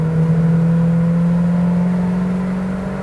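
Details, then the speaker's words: 1992 Winnebago Elante 37RQ with a 454 big-block Chevy V8 and overdrive transmission, on a highway test drive around 63–65 mph: a smooth, deep, steady drone rising slightly in pitch, no knocks or misses. The engine is healthy. "this has the 454 big-block Chevy steering feels really good motor sounds good"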